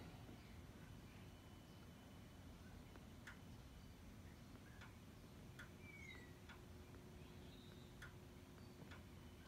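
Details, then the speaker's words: Ford (Explorer/Flex/Taurus/Edge) ABS hydraulic control unit, left rear inlet valve activated by scan-tool output test while checking a soft brake pedal: crisp single clicks every second or two over a low steady hum; valve sounds healthy. "for a click from the um h hcu so we'll go ahead and start with uh we'll start in order with the inlet valves start with the left front and turn it on it's faint but you can hear it"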